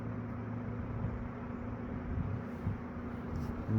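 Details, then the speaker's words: Eskimo box fan model 201083, after cleaning and reassembly, running on low and still speeding up: a soft steady airy whoosh over a faint low hum with a harmonic whine from the grills and no rattle or scrape. It is running quietly and smoothly. "Really nice and quiet. hear that harmonic wine grills. Not bad."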